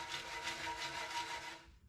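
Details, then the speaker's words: 1971 Honda ATC 90 unrun for over 50 years, fuel tank shaken: dry gritty rasping and sliding like sand from loose rust and old flaking tank coating; tank to be cleaned out and sealed. "that's not gas that's all the old uh coating that used to be in the gas tank and the rust with it so we're definitely going to take care of that get all that out of there and seal it"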